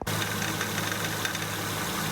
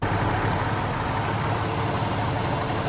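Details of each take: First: 2008 Acura MDX idling: light metallic tick-rattle over the engine, like tapping on tin, from the power steering pump; worn pump internals, pump to be replaced. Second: 2008 Acura MDX after power steering pump replacement and bleeding: steady, even idle with no metallic clinking from the pump; new pump quiet, normal idle.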